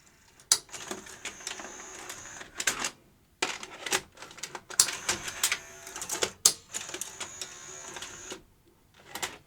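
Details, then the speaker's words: Sony UVW-1200P Betacam SP player during repair, after grease on guides: short motor whirs with crisp clicks and clunks as a large Betacam tape loads and ejects smoothly; normal load-and-eject cycle this time after earlier intermittent failures. "it takes a large tape happily did he reject there huh it worked that time"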